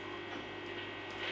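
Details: AXL Les Paul-style guitar through an amp with the volume up, after all pots, wiring and electrics were replaced and the three-way switch resoldered: steady low mains hum with a gritty buzz that stays constant; a bad earth is suspected.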